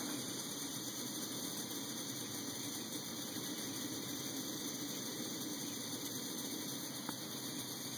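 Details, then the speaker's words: MSR Whisperlite stove on 91% isopropyl alcohol through a kerosene K jet drilled out with a #68 bit, burning at a low setting: soft, even roar with no pulsing or sputter. It is quieter than on white gas, with a beautiful flame. "it's not as loud as running white gas but that flame dispersion is beautiful"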